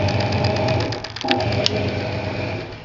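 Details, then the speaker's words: Hoover 200M washing machine, plugged in and dry-run live for component checks: the timer motor that advances the timer mechanism runs with a steady low hum, light even chatter and the odd click; normal timer motor running. "sounds like it's doing what it should sounds like it's doing what it should the timer going"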